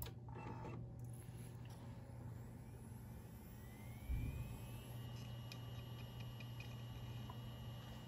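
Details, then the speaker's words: 320 GB hard drive in a Dell OptiPlex 790 SFF spins up with a quiet, smooth whine rising steadily then holding, no clicks; normal spin-up, drive detected. "good minding the dots in the background oh yeah there we go 320 gig hard drive sweet"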